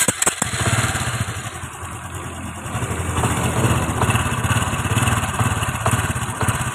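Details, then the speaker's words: Honda XRM 125 FI motorcycle with a metallic clanking noise from the side of the engine, mistakable for a connecting rod: loose, uneven metallic clatter over the idle; roller guides and timing chain suspected, guides to be replaced. "So ayun nga mga idol, no, sobrang ingay dito sa panggilid niya."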